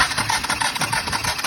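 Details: 2014 Honda TRX450R quad, compression tested at 60, starting fluid added: quick even cranking about six pulses a second, faint sputters, never catches; no spark, spark plug boot suspected.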